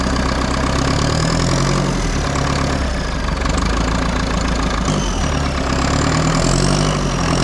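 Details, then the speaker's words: Front-end loader that sat about 15 years, running again after a few days of work, coolant topped up: low, steady diesel idle with an even chug, slight swells in loudness, no misses; normal idle. "all right after a few minutes we're running we topped up the water it's now idling"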